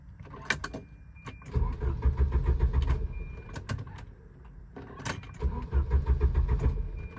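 Starter cranks in two bursts of even chugging, about three or four turns a second, but the engine never catches: cranks, won't start.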